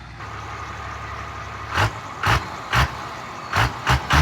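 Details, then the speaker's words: Stick-shift 12-valve diesel truck with hood stack, burnout in second gear under hard load. Roar breaks into uneven popping bursts about twice a second, stumbling and popping; owners suspect it runs out of fuel pressure, unconfirmed. "it sounds like it runs out of fuel pressure it does sound like a pop pop yeah I don't think it's getting enough fuel"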